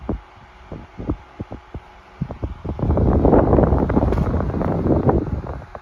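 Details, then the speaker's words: 1975 Toastmaster DeLuxe 12-inch oscillating table fan 7310 after 3.5 µF 450 V capacitor replaced, on high: few soft ticks, then even quiet air rush with low steady hum, 1100–1200 ft/min airflow; running normally. "do our feet per minute velocity check and we're in the 11 to 1200 range so that's plenty strong"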